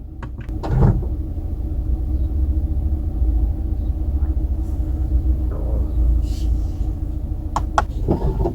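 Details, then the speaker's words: Brand-new Mercedes-Benz at idle: a short whirring roll from the rear camera motor as it deploys when reverse is selected, then again as it retracts when reverse is deselected; the owner finds the noise excessive. "So apparently this noise is being made when the vehicle is put into reverse and taken out of reverse. The two noises that you heard, the first one of which being put into reverse, the camera makes a noise, and then taking out of reverse, the camera goes back in again or something."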